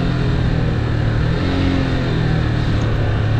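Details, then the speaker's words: Motorcycle descending on engine braking alone because the brakes aren't working, with a burning plastic smell (rider suspects worn brake pads): a low, labouring drone at high revs. The clutch can't be fully released or the engine would lock. "Engine brake করতেছি তারপরও ও ক্লাসটা একেবারে ফুলও ছেড়ে দেওয়া যায় না, ফুল ছেড়ে দিলে একেবারে ইঞ্জিনটা লক হয়ে যাবে।"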